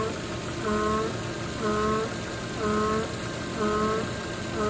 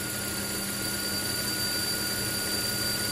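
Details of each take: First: Volvo XC90 (2007–2014) at idle, for about 5–10 minutes after starting: a droning hum swells and fades about once a second; failing PCV valve oil trap, replaced. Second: Volvo XC90 (2007-2014) engine after replacing the PCV valve oil trap, which had caused a noise for 5-10 minutes after start-up: steady, even idle with a constant high hiss and no irregular noises; the noise is gone, normal idle.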